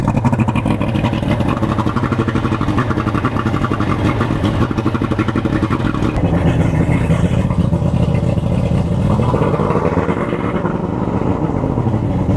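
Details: Boat outboard motor started for the season after winter storage, before new spark plugs fitted. Fast, even buzz of firing pulses holding steady at idle, running without misses; normal cold start.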